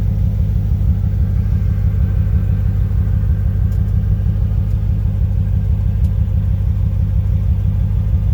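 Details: 1995 Chevrolet Corvette V8 at idle: low steady rumble with slightly uneven beat about three pulses a second, an intermittent misfire.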